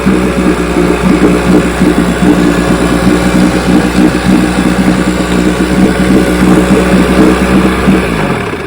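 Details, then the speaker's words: 1960 Johnson 10 hp outboard after gearcase rebuild and carburetor needles backed out a quarter turn: starts easily, steady even two-stroke putter at low idle with no stumbles or lean sneezes. Normal outboard idle. "That even starts like a dream."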